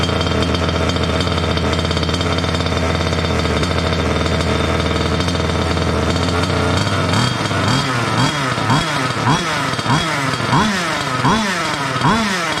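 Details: Water-cooled two-stroke Goped scooter, new electric coolant pump: high steady buzzing idle then short rev blips; lean from an air leak at the unplugged pulse line of the old pump; plugging it made idle drop.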